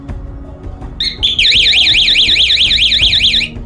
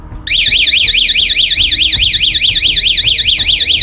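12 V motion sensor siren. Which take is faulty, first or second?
first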